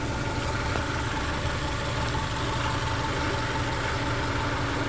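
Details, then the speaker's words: Subaru Bugeye daily driver at idle: thin metallic buzz over the engine note, a loose-sounding vibration the owner suspects is the exhaust, not yet fixed or confirmed; AC compressor not engaging, likely low-pressure switch. "there is a there is a metallic vibration sound that I suspect again is the uh uh exhaust but I can't I can't fix that just yet"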